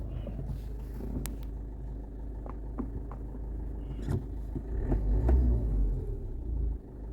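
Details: Toyota engine idling as brake pedal is pressed, sharp irregular clicks over low rumble, heard on hard and light braking without turning the steering; sticking front brake caliper clicking.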